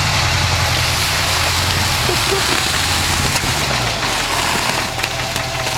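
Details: 1967 International Harvester 1200B pickup petrol engine idling with a loud steady ticking over a low uneven rumble that doesn't go away as it warms up; owner wonders if lifter tick or something more serious.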